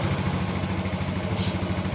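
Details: Yamaha Mio M3 scooter that was hard starting and sputtering or stalling on initial throttle, after cleaning the injector with carburetor cleaner; fuel pressure 40, normal: steady, even single-cylinder idle with regular pulses, no misses or knocks.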